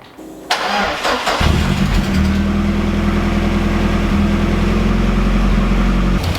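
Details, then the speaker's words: Ford Escort RS Cosworth, sat unused six years; after cleaning and refitting the idle speed control valve it cranks, catches, then holds a lumpy, slightly hunting idle, still unhappy on tick-over; rough idle, cause not yet found. "so as you can see fellas the car is still not happy on over let's try some else"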